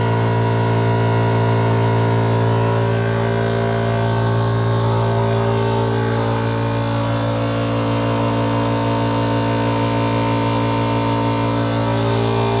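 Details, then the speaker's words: Air compressor in a workshop running normally during a before/after test of a DIY styrofoam-lined MDF/plywood noise enclosure with a hinged door: loud steady low hum with a strong pump pulse of about three beats a second, holding even. "Isso, se fizer as adequações melhores aí, ele fica melhor ainda. Fica praticamente sem barulho nenhum."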